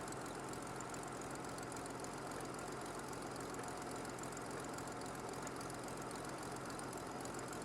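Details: Revived 1950 Dodge Power Wagon warming up, still with an oil leak and a loose distributor: a quiet, even idle with a smooth low hum and no knocks or stumbles. It sounds sweet, a normal warm idle.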